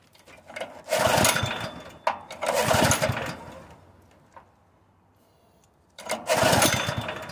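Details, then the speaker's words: Honda GX160 on a portable air compressor, converted to propane: engine surges in uneven bursts, dies to near silence, then catches again; owner suspects the cam compression release or a worn intake valve and weak valve springs. "it's so sensitive D so easy I'm beginning to think that the compression release on the cam is messed up or something something is wrong with this"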